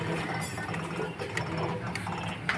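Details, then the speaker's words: Electric scooter on a double stand: hub motor gives a low buzz with clicks, and under throttle the noise stops and it jerks without running; suspects are controller, three-phase wires, hall sensors, or slightly low battery voltage. "Accelerator दे रहा हूँ तो आवाज़ रुक जाती है और झटके मारती है, ये ऐसे झटके मारती है।"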